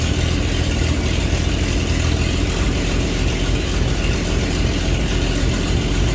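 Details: 1948 Chevy truck six-cylinder, not run for 30 years, with diesel in the oil pan, after readjusting points and repairing the number one plug wire: steady, even low rumble without misses or stalling; normal running.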